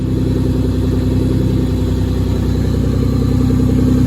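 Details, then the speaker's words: Nissan S13 240SX with a non-turbo MK4 2JZ-GE swapped in to replace the blown KA24, first start after the swap on fresh six quarts of oil. Idle settles down to a steady, even low rumble with regular firing and no knocks or ticks: healthy normal idle. "nice so give it a second he sounds [ __ ] healthy as [ __ ] leave it running give it a few seconds we put a fresh uh six qu of oil on this thing idle's down"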